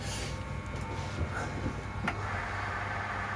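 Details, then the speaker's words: Lathe spindle truing thin bar stock in the chuck with a bearing pushed against it, ticking fades to a steady low hum with no catching; runs smooth and true, normal running. "you'll hear a little ticking obviously as it hits and misses and eventually the bearing should just run around nice and smoothly which it's doing now"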